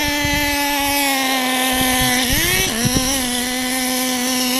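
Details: Pull-start RC car running in cold weather with a sticking throttle: a high buzzing tone sags and wobbles as it reaches top speed. It is running rich and bogging, and needs retuning for the cold by adjusting the high-speed needle.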